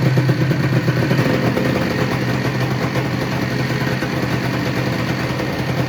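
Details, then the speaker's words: Crashed Honda NSR250 two-stroke, first start in over five years, run on a dummy tank: a busy, crackly idle ticking over at a steady speed without dying or surging. Normal two-stroke idle. "got it ticking over pretty nice"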